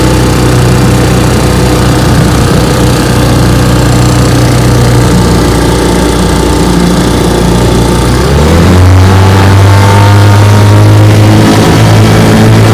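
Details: 1958 Johnson 3 HP JW14 two-stroke outboard, fully restored with a rebuilt magneto and lower unit, warm start, on a boat: a crisp, even buzz that rises smoothly when opened up around eight seconds in, with no misfires or rattles; healthy.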